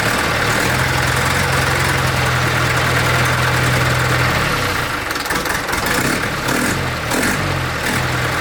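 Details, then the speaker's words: 1964 Ford 4000 Rowcrop diesel tractor, first start after two-year restoration and injection bleeding, exhaust leaks present: once diesel pushed through, popping stops and it settles into a steady even idle; air bled from fuel system, normal idle. "Started pushing some diesel out, that popping stopped."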